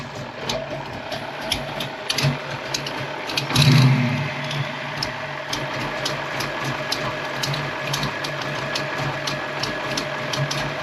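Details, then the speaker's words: Foxbody Mustang V8 testing mass air flow meters and an older computer, slight exhaust leak present: lumpy cammed idle with steady even lope and regular exhaust pulses, idle could be raised slightly; normal idle. "But man, that sounds good. It's actually idling good."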